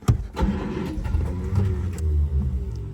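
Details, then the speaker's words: 1948 Studebaker Champion flathead six after decades sitting: the engine fires and catches while the starter whirs and winds up over it. This is starter runaway from running a 6-volt starter on 12 volts. "You hear how the starter kind of runs away after the engine starts to fire? That is a classic issue when you're running a 6-volt starter on 12 volts."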